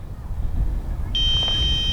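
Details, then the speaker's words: DJI Mavic Mini about 165 m out at 20% battery: steady high beep midway, then a second tone, as the low-battery warning leads to an automatic return-to-home countdown. "yeah so it now gave me the message it was just giving us a warning and now it's giving us a message and a countdown so in a couple of seconds here it's gonna come home"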